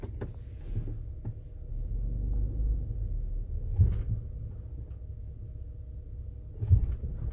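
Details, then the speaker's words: 2014 Ford Explorer Interceptor, 3.7-liter, 4WD, under hard braking: a low rumble with two heavy clunks as each worn lower control arm slams against its front and rear mounts. The lower control arms are shot, so new lower control arms are needed. "Yeah, they're shot. Boom, boom, front and back. So it needs new lower control arms."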